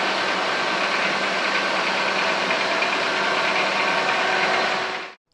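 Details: Car idling after cleaning the idle air control valve (IACV): steady even hum with no hunting or surging, then it cuts off.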